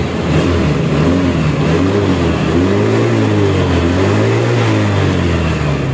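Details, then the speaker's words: Honda Vario scooter with its original exhaust, after the front internal layer causing the vibration was removed. The engine revs up and eases off with a clean, even exhaust note and no buzzing rattle. "oke tidak ada sekarang tidak getar ya tuh tidak ada bunyi getar"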